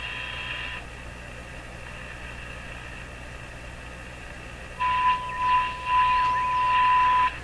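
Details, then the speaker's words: Viking Model 4516 radio during wax capacitor replacement, 455 kHz IF signal injected from a signal generator while tuning: background hiss then a steady high whistle appears and holds a few seconds; spurious heterodyne from other signals mixing through the IF. "as I come across other signals that are mixing and coming out of 455 we hear them going through the radio"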